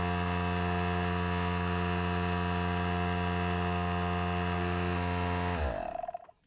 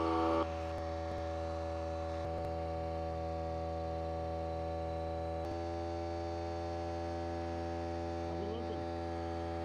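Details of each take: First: Harbor Freight Central Pneumatic 95275 pancake compressor, over six years old, only reaching about 25–30 psi. Steady low hum with an even pump beat that never labors under rising load, then winds down: the discharge tube is broken. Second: Harbor Freight Central Pneumatic 95275 pancake compressor after the discharge tube repair, now filling past 100 psi (gauge reads 103–110 and about 20 psi high). Steady, even motor hum with no knocking or rattles; it runs normally.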